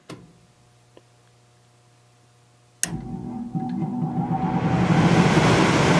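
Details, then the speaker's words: Mercedes-Benz C240 heater blower on fan only: a click, then the motor hums and struggles briefly before swelling into steady airflow, which is normal; prolonged struggling can burn out the motor windings. "see it is struggle a little bit but that's the way it's supposed to be"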